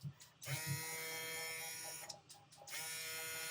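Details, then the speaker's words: Small USB-C/USB-A vacuum pump from a filament vacuum storage kit, powered by a power bank: not very loud, light steady high-pitched motor buzz with two brief dropouts, even and unstrained; normal running. "Not very loud."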